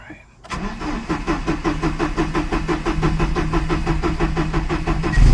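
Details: 1975 Volvo 245 wagon, 16-valve turbo resto-mod with LH2.2 injection; cranks and catches, then lumpy idle pulsing about three times a second around 800 rpm, wideband 8–9, low vacuum, rough rich running suspected from a bad air mass meter.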